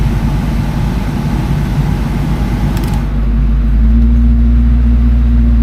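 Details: 2004 Mustang GT V8, warm above 190°F thermostat temperature, after canister purge valve replacement: steady, even low idle rumble near 741 rpm with no dips or hunting. Healthy idle.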